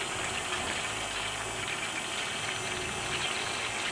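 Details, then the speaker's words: Electric pump draining diesel from a Citroen BX Diesel Estate fuel tank during tank removal: steady hum under gurgling, slurping liquid with weak, uneven flow; pump has internal blockages from pumping water and other liquids without a filter. "Pump's not that great a flow, sadly. It's got a lot of blockages inside the pump, where it's been used for pumping things not fuel related, like water and stuff. It's never had a filter chucked on it."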